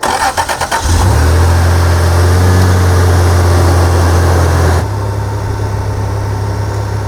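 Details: Remote start after reconnecting a fuel injector that had been unplugged to disable one cylinder: the starter cranks a few times, then the engine catches and settles into a smooth, steady idle with an even low hum. All cylinders are firing normally.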